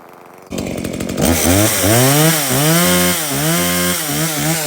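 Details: Stihl MS170 chainsaw, reported as a no-start, bought 13 months earlier and apparently unused; run on its original fuel with a full bar oil tank, outdoors. It bursts into life and revs rise and fall smoothly with no misfire: it starts, runs and oils normally.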